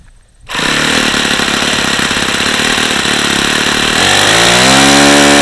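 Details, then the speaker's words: Saito FA-45 original ringless ABC two-piece-head four-stroke model engine (suspected bad bearings) on 5% nitro with an OS F plug, running hot. A steady high buzz climbs slightly but tops out short of the 9500+ it should reach. Little compression loss; owner thinks it's simply a tired engine. "okay it doesn't seem to be losing much compression because it's hot I think it's just a tired engine is all"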